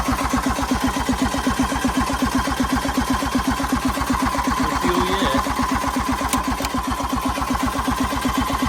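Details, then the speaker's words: 1986 John Deere 330 diesel garden tractor, found abandoned, glow plugs pulled, return line cracked, low battery: even starter chugging about 2.5 beats a second that never fires; no fuel delivery, air in the fuel system needing bleeding. "not a good sign. Yeah. Not good. Yeah. Not getting any fuel out of here."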